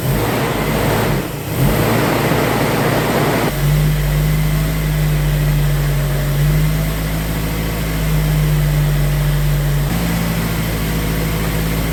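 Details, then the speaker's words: 1990 Isuzu Trooper, 2.6 four-cylinder, 5-speed 4WD, first start after an engine reseal and EFI-to-carburetor swap: cranks and fires around three and a half seconds, then a low, lazy idle with a steady drone. Low idle, raised during initial tuning. "Let's bring that up a little bit. About there."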